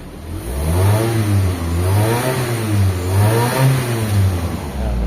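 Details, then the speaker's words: Mitsubishi Lancer Galant with 4G92 engine, after repair of misfiring, poor pulling and unstable idle: revs up and down smoothly with no stumble or misfire. Engine now okay, no longer misfiring. "Pero okay na yung ano yung makina mga boss. Ayan. Yan. Maganda na siyang magalit mga bossing."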